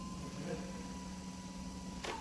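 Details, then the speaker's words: Yale MBW065 walkie pallet truck with intermittent codes 13 and 42: quiet electrical hum, then a sharp click as the tiller is released and the brake releases normally; suspected shorted capacitor, since voltage reaches nearly battery voltage (12.8 V). "and then off you can hear it clicking so that releases the bricks"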